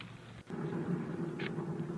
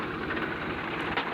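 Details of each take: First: Swaraj 735 tractor with a rear wheel spun while the brake is off; a loud low growling drone swells with wheel speed and gets louder when driven fast, the sound of a worn bull pinion bearing. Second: Swaraj 735 tractor after pinion bearing replacement for loud rear-wheel noise, oil loss and failing brakes: steady low engine chug with even rhythm and no grinding or whine from the rear end; the axle now runs quietly.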